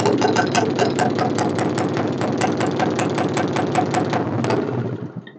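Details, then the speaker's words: Suzuki Satria FU motorcycle running without battery after a non-original replacement regulator/rectifier: fine at idle but stutters in uneven bursts on throttle, then fades and dies as CDI protection cuts ignition on unstable voltage. "Eh jadi motor ini untuk gas kecil atau langsamnya itu bagus tetapi ketika kita putar gas dia berebet seperti itu ya atau yang dinamakan terjadi t pada CDI Ya seperti ini"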